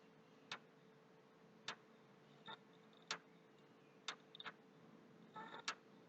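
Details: PS3 console, hard drive already formatted, very slow to boot and restart: faint sharp ticks about every second, slightly uneven, over a quiet steady hum, coming from near the HD; noise stops and returns, cause unclear.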